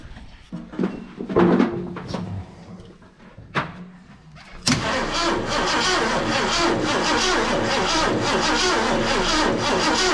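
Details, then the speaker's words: Mercury XR7, wrecked and parked in a shed 20 years, first start with an uncharged jump pack; cranks, catches and idles loud with a slight uneven lope, which the owner thinks may just be from sitting. "it doesn't sound extremely bad except my jump packs not charged but it's got a little a little lope to it but I think that just could be from setting"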